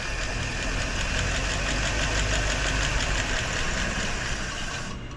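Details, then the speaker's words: 1958 Chevrolet Bel Air V8, abandoned about 30 years (last driven 1993), first revival start on gasoline poured into the carb bowl: smooth, even idle with a steady low beat, no ticking or knocking, barely any smoke, then winds down. Normal idle. "Wow, not a tick, not a knock. Barely any smoke."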